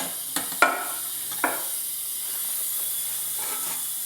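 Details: 469 big-block Chevy dragster engine, cold leakdown test, standard rings: steady airy hiss heard at the carburetor with the throttle cracked; leakdown air is slipping past the intake valve.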